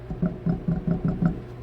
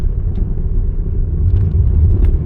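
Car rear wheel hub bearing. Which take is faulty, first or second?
first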